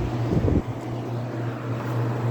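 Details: Duracrest 2-speed box fan switched to high speed: after a brief bump, a steady low motor hum with rushing air holds even and smooth; normal running on high.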